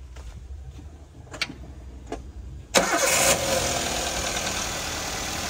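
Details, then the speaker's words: Toyota Avanza with about 300,000 km: after a brief crank it settles into a steady idle with a light, fairly quick ticking over it. Source not pinned down; the mechanic attributes it to high-mileage wear, possibly piston-related. "ada suara tekk tekkek gitu ya. Ya wajar namanya mobil kilometer sudah Rp300.000 itu biasanya memang suara-suara itu pasti akan timbul dan mulai piston segala macamnya gitu ya."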